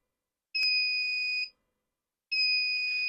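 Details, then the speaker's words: Wagan Elite 400 W pure sine inverter on a bench supply with a 75 W incandescent load, input lowered to about 10.5 V: two steady high-pitched beeps about a second long, nearly two seconds apart, a low-voltage alarm; cutoff came at about 10.16 V. "still beeps. Probably have to go way up."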